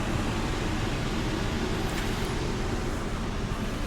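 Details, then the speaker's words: Stryker toy hauler after transfer switch replacement, front rooftop air conditioner set to 76, mic directly beneath; steady low hum, even airy whoosh, no rattles or surging: runs smoothly. "All right, let's turn on the front air conditioner. 76, that's fine. We should hear that thing come on."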